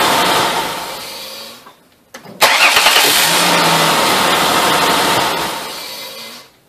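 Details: 2004 Ford Taurus 3.0L DOHC Duratec, after starter replacement (previous starter sounded like broken flywheel): short crank, brief pause, engine catches and runs steadily before shutting off; new starter engaging properly.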